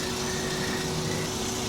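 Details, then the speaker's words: 1956 VW Beetle engine after swapping Weber 34 ICT for stock Solex 34 PICT 3 carburetor, priming the fuel system: electric fuel pump makes an unusually loud, thin buzzing hum, sucking air with no fuel going through, before priming. "fuel pump is unusually noisy which tells me it's not getting any people going through it"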